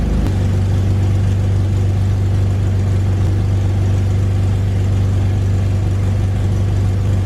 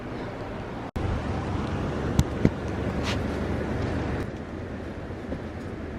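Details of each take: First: 2001 BMW E46 330i wagon idling after fitting aftermarket catless headers that fit poorly and hit the transmission: loud raw low drone with rapid puffing from a huge exhaust leak at the header flange. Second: 2001 BMW E46 330i wagon after replacing clogged, melted OEM headers/cats with aftermarket catless headers and new manifold gaskets: steady low exhaust drone as the six revs, no ticking, puffing or rattling against the body; exhaust sealed and healthy.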